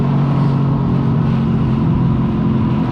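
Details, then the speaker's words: Freshly rebuilt Yamaha XLT1200 two-stroke jet ski engine idling in the water on its first run, recorded on a GoPro in a floaty case; steady, deep, even burble with no knocks or misses; it idles well. "but it feels great, feels tight, as you can hear hopefully with the floaty case on the GoPro that it's idling really well in the water."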